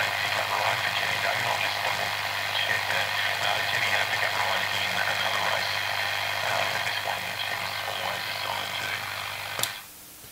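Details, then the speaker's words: Vintage radio L401E after new 150 ohm resistor, new earthed power cord and faulty 6AR7 valve work: steady low hum under rough, crackly, garbled distorted output; speaker suspected poor, cause not pinned down. "I hopeful but no still making the garbled rubbish think that"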